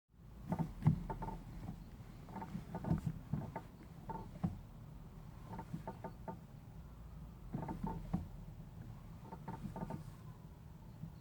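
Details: 2016 Mazda MX-5: clicky creaks and short squeaky sweeps with each clutch press over a low engine hum; stick-slip where the two pedal switches contact the clutch pedal, addressed by TSB 05-003/16, which adds silicone pads.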